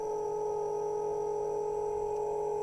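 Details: Small motor on a half-bridge motor controller bench setup, just started at low speed: steady, even mid-pitched whine with higher overtone, no wavering; spinning smoothly.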